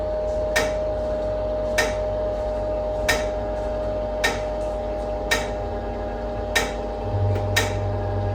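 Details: NordicTrack treadmill incline motor during incline and decline, with or without a user: a metallic ding about once a second over a faint motor hum. Suspected loose bolts; the fix is tightening the incline motor mounts and frame screws and lubricating the bar.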